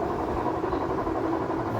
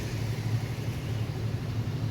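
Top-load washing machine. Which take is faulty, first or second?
first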